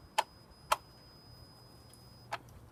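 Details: 2007 Honda Accord, three sharp irregular clicks over quiet car background; source of clicking unknown.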